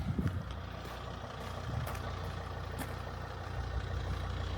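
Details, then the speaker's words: 2005 Volvo V70 2.4D SE AWD automatic with the 2.4-litre D5 five-cylinder diesel, 61,000 miles, full service history. Low, even idle clatter with a light rev blip; no rattles, misfires or smoke. Normal healthy diesel idle. "it a little rev so you can hear it. See if there's any smoke or anything, which there isn't. Not a thing. Clean as a whistle."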